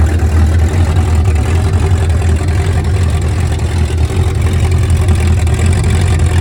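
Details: 1971 Mercury Comet GT 347 V8 after warranty repairs and engine reinstall, open headers with no mufflers or hood, test drive in snow: loud, deep, steady even rumble with no misses or knocks; normal idle.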